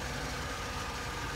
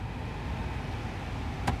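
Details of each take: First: 2008 Vauxhall Corsa D petrol after replacing a faulty heater blower motor with intermittent speed: steady, even rush of air with a faint constant hum, no surging or dropouts; new motor draws about 20 A versus 24 A; normal operation. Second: 2008 Vauxhall Corsa D heater blower with manual controls, speed varying and bogging down while driving: tapping the housing makes the fan's rough whoosh surge then sag; faulty blower motor, later proven with oscilloscope and thermal camera.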